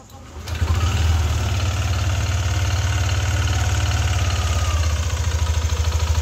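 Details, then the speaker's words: Yamaha NMAX V2 scooter at idle: deep, steady, loud rhythmic knocking, a rattling clack rather than the rough sound of camshaft or rocker-arm bearings; engine to be opened. Connecting rod knock. "So yun yung tunog ng makina ni paps ah. Ah tunog knocking eh hindi siya tunog bearing eh."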